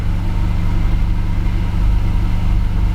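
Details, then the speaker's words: 2015 Jaguar XF 2.0L four-cylinder, 121,000 miles, just started: heavy lumpy rumble with uneven chuffing beat at idle, immediate dead-cylinder misfire with flashing check engine light and restricted performance. "let's go ahead and recreate the symptom and it is immediate as soon as I uh turn on the vehicle it just starts misfiring"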